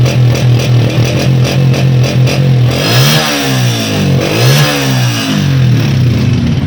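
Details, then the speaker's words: New Honda 125 motorcycle, 788 km: blipped up and down, note thin and quiet even when revved; exhaust sound weak. "ये भी AHL 3 नंबर का है, लेकिन बाइक बिल्कुल भी साउंड नहीं दे रही थी।"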